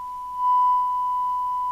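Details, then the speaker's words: Amstrad CB900 UK FM CB radio (Cybernet chassis) on receive, fed from a signal generator at 27.79125 MHz during alignment: a steady test tone comes through harsh, buzzy and "strangled," so the received audio is distorted. "There we go. Oh, it sounds awful. It sounds strangled."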